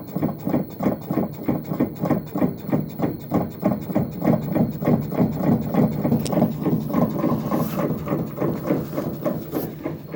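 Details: WA5451ANWXAA/02 washer: steady, even thumping knock about three times a second, repeating with the drum's rotation; the source inside the washer is not pinned down.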